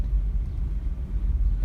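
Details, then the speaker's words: 2011 Kia Sorento driven over speed bumps just after replacing the rear sway bar links and bushings, which had been clunking. Only low road rumble is heard, with no knocks or clunks. Rear suspension is quiet after the repair. "yeah we just replaced the rear sway bar links we're just gonna go over some speed bumps right now oh it sounds much better so i'm happy with that"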